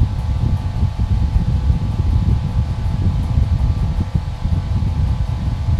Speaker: So you can see that it took it a few seconds to get up to speed, and at this point it is at full speed.